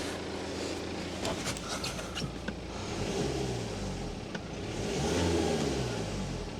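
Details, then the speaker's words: BMW 1 Series diesel after a refill from running empty, revved from idle: pitch climbs and falls smoothly with no stumble; owner suspects earlier lumpiness was air in the system from running out of fuel. "Seems to be running all right. I don't know if maybe there was just a bit of air in the system where it had run out of fuel."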